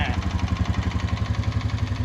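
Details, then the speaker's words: 2020 Honda Rubicon 520 ATV after being swamped, single-cylinder idle: regular tap on every beat, about eight per second, above the thump; bottom end sounds smooth, so the owner suspects the top end and plans a valve adjustment rather than the feared crank damage. "when she's riding the bottom it does sound smooth sounds like a top head i'm gonna drop the valve so i guess we're gonna start working on that"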